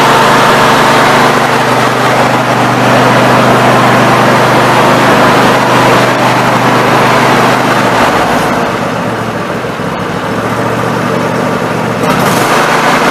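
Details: Snapper NXT 25-48 riding mower engine after carburetor replacement, test-run with the cooling cover off: steady, even running with a firm low thrum, no surging or misfires, holding speed smoothly; normal running.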